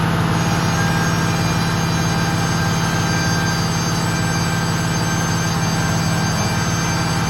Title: Abnormal sound from air braking system when pressure is full #automobile #fixyourmercedes